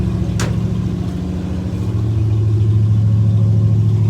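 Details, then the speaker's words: Chevy C10, cold, idling low: uneven lumpy beat that stumbles and floods if the gas pedal is touched more than slightly; owner suspects carburetor float level is wrong, letting it warm up. "I got this funny feeling that the float level is not right in that carburetor. Because I mean, if you touch that gas pedal more than that much, it floods."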